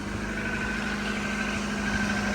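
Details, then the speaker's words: Rover Streetwise K-Series engine idling right after a cold start from frozen, bonnet about to be opened: even, steady idle hum with a constant low drone, no ticking or rattle; smells and sounds good, normal cold idle. "Smells good. Smells good. Sounds good. Everything is good."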